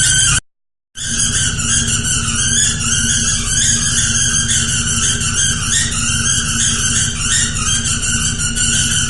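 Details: 2001 GMC 5.3 V8 with drive belt removed: loud, piercing steady squeal over an uneven misfiring idle; plugged left-bank cat, exhaust escaping between manifold and cylinder head past broken manifold bolts.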